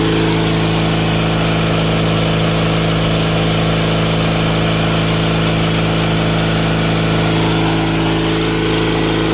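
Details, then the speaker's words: Cub Cadet 782 tractor with a 35-year-old twin petrol engine that burns a little oil on one side: a strong, even drone holding a steady beat with no knocks or misses; healthy revving with plenty of power. "But it runs great, and it seems to have a lot of power. And she sounds good, that's for sure."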